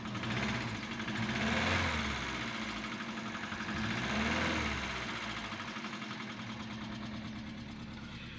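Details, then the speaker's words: 2005 Vauxhall Astra H after engine flush, cold start after sitting overnight: fast light ticking over uneven idle, settling as oil reaches the chain; still a bit tappety but quieter than before. "a bit tappety but it had an engine flush"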